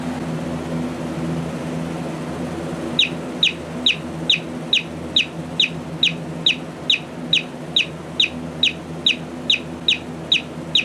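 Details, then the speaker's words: Vintage Simpsons-Sears co-op clock radio, possibly Sanyo or Panasonic-made with a "6412" sticker: after a quiet hum, loud, sharp high bird-like chirps repeat evenly about 140 times a minute. The alarm works normally. "you know it could be a bird but it sounds like a very odd and distressed bird to me so I don't know it's chirping noise it's a weird radio you're weird alarm sound but it will certainly wake you up because it's loud enough for that"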